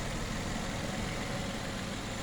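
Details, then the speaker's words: Nissan Maxima 3.5 after timing chain job replacing completely worn-out guides: low, even idle rumble with no rattle or ticking; timing chain quiet and engine healthy after repair. "but it runs like a champ took about two days to do"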